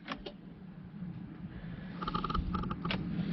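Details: 2012 Nissan Armada, towed in as a no-crank, owner told it was the starter: pressing start gives only light relay ticks under the dash, no cranking, immobilizer light solid. Immobilizer not recognising the key; fixed by programming the key with an Xtool D8.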